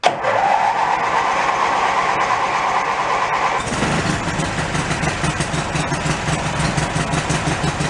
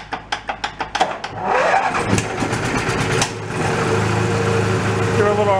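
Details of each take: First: Mid-1980s Snapper riding mower rescued from a dump, with the seat safety switch wires jumpered and the transmission in neutral: brief cranking whirr, then the engine catches cleanly and settles into an even, steady idle. It starts and runs fine. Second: Mid-1980s Snapper riding mower, cold engine: about eight sharp cranking pulses, then a ragged, uneven catch with pops as it spits back through the carburetor.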